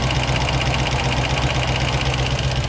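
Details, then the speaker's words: 1972 Range Rover V8 idling at about 800 rpm: light quick ticking over the low rumble, tappets still tapping. "tappets are still tapping. I think that's going to be a job that's going to irritate me somewhat."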